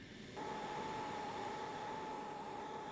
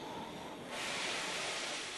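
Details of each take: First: Oxy-LPG cutting torch with excess oxygen: sharp, steady hiss with a clear high whistle near 850 Hz; an oxidising flame. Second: Oxy-LPG low-pressure cutting torch, neutral flame, cutting with the tip very close to the work: steady rushing hiss brightening as the cut starts, no popping, banging or flashback; normal cutting.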